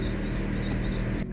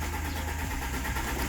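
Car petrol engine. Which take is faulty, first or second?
second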